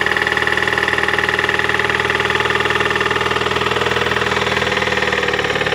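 Steady idle with a sharp, even knock about four times a second over the engine hum; cause not yet pinned down.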